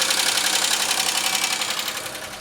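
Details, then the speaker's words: 2003 Pontiac Grand Am GT at about 118,459 miles, oil change due and sludge expected: quick, even light valvetrain ticking at steady idle that doesn't change with fresh oil, no oil light or smoke; owner suspects a completely failed lifter. "Noise isn't changing. So that lifter might be completely shot from this whole issue."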